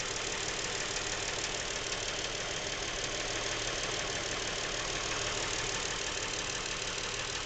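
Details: New Lincoln MKX with 7,000 miles at idle: a regular light knock about three times a second, present since new and getting worse. It seems to come from the back of the engine; the dealer could not hear it.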